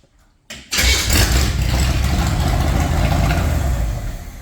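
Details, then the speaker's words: Wide Gauge Bombardier engine in shop test after carburetor cleaning, five gallons of gas, right tank plumbed, left tank plugged. Brief crank, catches at once, settles into steady even low rumble, no misses or knocks; normal start and idle. "now I just want to show you how nice it starts"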